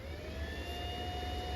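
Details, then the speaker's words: Honda NC700X/NC750X after a valve adjustment and coolant refill, run about 10 minutes until the radiator fan comes on: even, low whir with a faint whine and no rubbing; fan operating normally. "and you can hear the fan running now"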